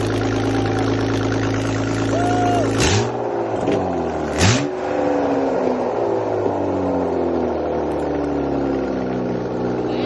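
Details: 1998 BMW E36 328i, rebuilt M52B28 six after head gasket replacement, first start on cheap break-in oil: catches and holds a steady, smooth idle with a couple of quick blips; healthy and even.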